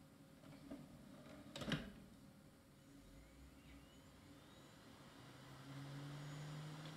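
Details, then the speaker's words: Scrapyard IDE optical drive from 2003, set as master, with a very soft, smooth tray, reading a CD-ROM: quiet load clicks, then a soft, steady spin-up hum. The drive works very well. "perfect this drive seems to be working very well"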